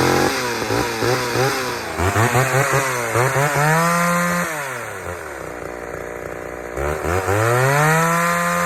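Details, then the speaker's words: Chainsaw run on leftover fuel, not refueled, unlike two freshly fueled saws that misbehaved: revs up and drops back cleanly to a steady idle with no misfire or bogging. It runs fine, though the chain hit a rock. "all right so saw number three is running just fine except for you know i hit a rock with the chain"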